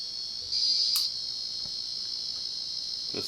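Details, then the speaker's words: 1990 Casablanca Panama 50-inch ceiling fan, Inteli-Touch board: constant high-pitched buzz from faulty sound driver (suspected capacitor or transistor), swelling with a chirp at speed changes; fan and reverse otherwise work; control board buzzing. "otherwise the fan works just fine reverse works but this constantly makes that noise and you can also hear try to do make the correct snap noises when it's changing speeds"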